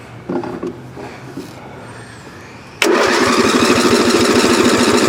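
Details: Roughly 35-year-old (about 1982–83) lawn tractor, restarted hot after driving around the yard: steady starter cranking at about three pulses a second that never catches; hot no-start, owner plans to change the ignition coil.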